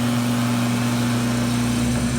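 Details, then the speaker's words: Driveshaft from a 1965 Ford LTD with tube-in-tube construction, spun on a balancing machine below 3000 rpm: heavy droning hum with strong low tones, vibrating heavily; shaft about 20 thousandths bent in the middle, suspected cause of the car's vibration. "it's vibrating very heavily real quick so i'm not going to fire it up to like 3 000 rpm i don't want to wreck my balancing machine"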